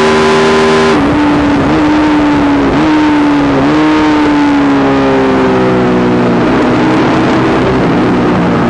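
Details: YZ450 single-cylinder engine in a supermono race bike: loud hard revving with the note stumbling and dipping every second or so; constant misfire under load, worse after a couple of laps, cause unknown despite changing carb settings, fuel tank, filter, breathers, ignition, coil, generator.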